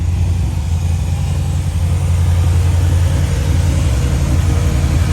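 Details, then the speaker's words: Supercharged Honda Prelude with aftermarket distributor, after fixing no-spark and flipping two distributor wires: low, lumpy, stumbling idle, sounds like a tractor; good compression, cylinder two suspected dead with injector suspected, not confirmed. "It sounds like a tractor"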